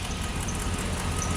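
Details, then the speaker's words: Crew cab truck after cleaning a stuck injector to fix a misfire: now smooth stable idle with a faint thin chirp/whine from the serpentine belt area; idler pulley or tensioner suspected, to be replaced with a new belt. "you can tell he running smoothly now nice stable Idle No noises or anything like that except the serpentine belt"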